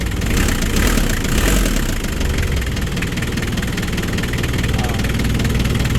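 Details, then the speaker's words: 4D56 diesel, noisy at start before a roughly one-hour repair (general overhaul mentioned), now in neutral with throttle held: steady, even idle clatter with no knocks or rattles; quiet and healthy. "Hawakan mo yung gas sir. Oh, tahimik na oh."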